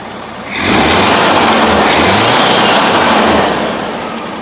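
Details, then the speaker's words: 1971 VW Bus after moving the distributor vacuum advance from the carburetor side port to manifold vacuum, since the advance was not advancing: engine picks up briskly from idle, holds a clean even rev and drops back smoothly, sounding peppier; normal running. "Even sounds peppier."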